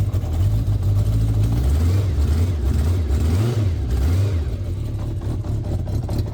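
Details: Newly fitted, cleaned stainless exhaust headers, engine still cold: deep, smooth exhaust note rising and falling with revs, no puffing or ticking from a leak; runs fine.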